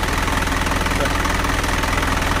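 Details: Rebuilt Mazda 4HF1 diesel after repair of a knock caused by a broken oil pump, fitted with a new pump, main bearings, piston rings, liners and thrust washers; steady, even idle clatter with no knock or rattle, running smooth and healthy.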